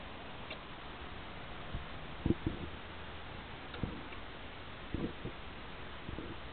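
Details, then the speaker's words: Edgewater spa control panel with the temperature set and power on: pressing the pump button, and also the lights button, gives only single sharp relay clicks in a quiet room, with no pump motor following; cause unconfirmed. "the temperature is set, plugged in, everything is working operational, and you go to push this button here and all you get is a clicking noise."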